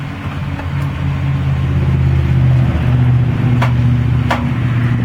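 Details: 2003 Ford Explorer at crawling speed: one or two sharp clicks or pops over the engine rumble when the wheel is turned right, repeatable after straightening, only noticed at low speed; clicking when steering right.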